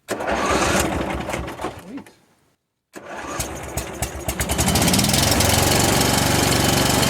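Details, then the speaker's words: Mid-90s Cub Cadet 1641 with Briggs Vanguard engine, sat three years, found with no oil, previous lack-of-power complaint. It catches, runs rough, dies, then refires into a steady chug, cutting out intermittently; multiple bad electrical connections suspected. "I just got to figure out how to get it to do that consistently. It's a runner, kind of. Fighting multiple problems at once, I think."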